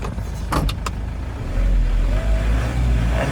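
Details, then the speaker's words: 2016 Mitsubishi Fuso FE130 box truck diesel idling with no check engine lights: low, even rumble holding steady after a few sharp clunks early on, no stumble or misfire, normal idle. "sounds good no misfire"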